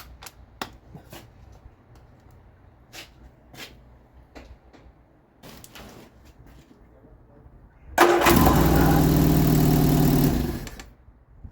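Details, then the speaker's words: Vauxhall Viva HC barn find with starting issues: quiet ticking, then fires and runs evenly under three seconds before dying, running on fuel poured into the carb; fuel reaches carb only weakly, owner suspects fuel filter, not confirmed. "right so what is the problem she fire is lovely fire and systems champion I poured some fuel down her neck and she ran off that fuel this fuel in the filler and when I checked it with the bottle when I put it on up to the cob the fuel was going up so what's the problem not enough fuel going up"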